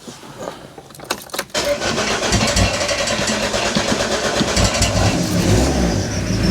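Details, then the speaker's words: Mk4 Ford Fiesta van after driveway swap from the old 1.8 diesel to a used running engine, fuel lines hand-bled, jump-started from another battery: brief cranking, then clean catch, throttle blip and even steady diesel clatter; healthy start. "starts and I tell you what it sounds so good sounds brilliant really really happy with this"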